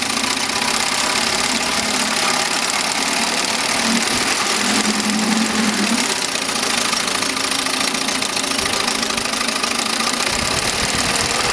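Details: 1971 Mercury 7.5 outboard after new coils, ignition blocks, water pump and carb cleaning, previously wouldn't idle, now pumping water: bright, buzzy two-stroke note, steady and even with no knocks or misfires; runs smoothly.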